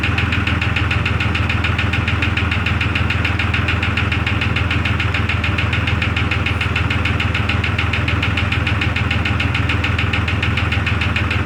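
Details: 2002 Jeep Grand Cherokee Laredo, cold weather: steady idle with fast, very even tick keeping time with the engine; internal tick, source undetermined, owner listening with a stethoscope-style probe and may tear down engine.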